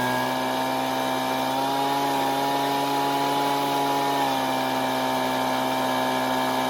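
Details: Husqvarna two-stroke leaf blower that previously stalled at idle, after turning the L (low-speed) carburetor screw a quarter turn counterclockwise: a clean, steady high-pitched drone with no surging. It is now running properly.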